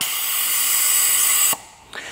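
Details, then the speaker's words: 2007 Audi A8 air suspension stuck high: sharp hiss for about 1.5 seconds as the air springs vent once the brown compressor line is released from the valve block, showing that line, running to the compressor, is blocked. "because with that brown line released the airspring is venting somehow that brown line is blocked now the brown line goes directly to the compressor"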